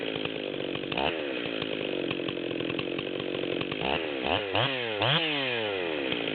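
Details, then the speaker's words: Stihl 440/044 hybrid chainsaw (low-hour 044 bottom end, new 440 top end and carb, zip-kitted) at high unloaded idle: screaming with irregular stumbles and breaks in the note, then cutting sweeps. The saw has a decent miss at high idle. "So we can hear it's got a pretty decent miss at high idle in the 440."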